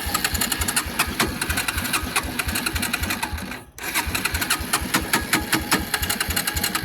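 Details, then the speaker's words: Suzuki Quad Runner LT160 ATV of unknown condition, spark plug just refitted, fuel on: fast, steady starter whir with regular chuffs about four a second, a pause, more cranking that never catches; clogged carburetor suspected, starting fluid next. "All right, let me get some starting fluid and see if it then fires up."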